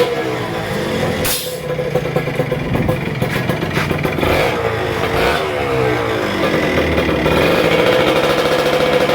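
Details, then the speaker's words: Kawasaki Ninja RR 150 two-stroke with heavy pull, stuttering and a super KIPS power valve that sticks at certain rpm: uneven revving that stutters and falls back slowly; sticking exhaust power valve. "jadi kendala motor ini tarikannya berat dan motor itu brebet suaranya juga gak enak ya terus super kip-nya juga macet di RPM sekian turunnya itu lambat ya terus gasnya juga nahan"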